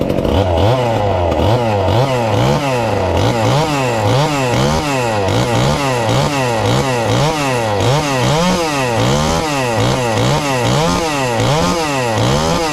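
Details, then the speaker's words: Ported 2375 chainsaw, modest-compression build, running on pump gas: loud buzz swinging up and down in a quick steady cycle, crisp with no bogging; normal healthy running. "but i'm gonna fire it up if it will here today on the pump gas just to maybe have a comparison of how it sounds"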